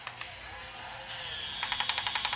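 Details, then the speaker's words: Top Race TR-113G 6-channel RC front loader lifting a full bucket of kitty litter; small motor whines up, then rapid sharp clicks as the lift clutch slips under load and the arm won't rise. "see click click can't go and a lot of times what I'll do is I'll actually go up just a little bit again see click click click click click"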